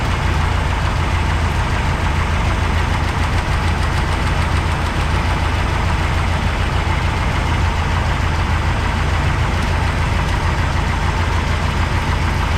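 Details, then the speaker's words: 1985 GMC C25 V8 idling with the valve cover off mid lifter adjustment: light, fast, uneven ticking over a steady idle rumble, with lots of noise still on one side; lifters still out of adjustment, likely redoing them all after cool-down. "I'll probably have to go back through and do them all again because I got so much noise over here."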